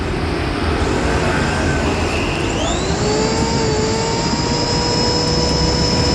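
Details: Electric wood planer after armature repair, tested under load: high motor whine holds steady and dips slightly with no crackle or stutter, no sparking; running smoothly.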